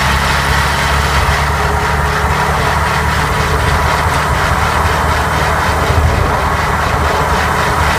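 A steady low drone with a constant hum underneath and no knocks; an even gearbox noise while running, cause not pinned down.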